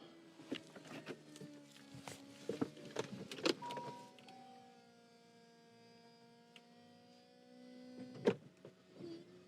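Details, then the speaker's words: Nearly 19-year-old Saab convertible: smooth electric motor whines through each stage of the roof cycle with crisp latch clicks between; the roof goes up and down normally. "Makes all the right noises. Seems to go down a treat. We've tried it a couple of times, up and down, up and down. The roof works good."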